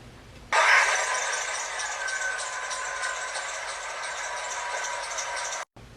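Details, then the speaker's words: Loud squeal from engine compartment, growing louder over weeks, especially when accelerating; belts replaced without curing it: a steady high squeal over engine bay noise, from a failing crankshaft pulley. "the first video i heard this loud squeaky noise coming from my engine compartment"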